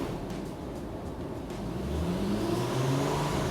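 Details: 100k-mile VW MK4 R32 VR6 after timing chain, water pump, clutch and full exhaust replacement: engine note climbs smoothly with a deep, even exhaust tone and no rattles or ticks; sounds healthy.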